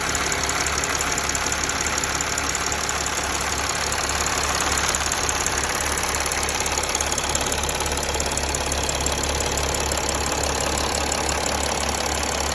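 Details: Mercedes ML 280 CDI, OM642 diesel: fast even light ticking about three per second over steady idle, no speed change; engine ticking, cause unclear.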